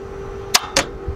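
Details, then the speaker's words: Vehicle starter being cranked repeatedly with the key: two sharp clacks about a quarter second apart over a steady hum with no cranking following; starter motor going bad, unlike a starter spinning without engaging the flywheel. "there's a different way of how the starter sounds when it's going bad"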